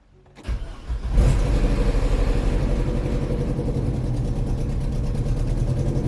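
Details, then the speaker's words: Vauxhall Vectra just after replacing the exhaust flexi section, which was cut out and a bent pipe straightened: cranks, catches and idles with a rough, puffing chuff on the exhaust note; exhaust leaking at the new joint. "Yep, that sounds pretty rubbish to me. Let's go and see where it's leaking from."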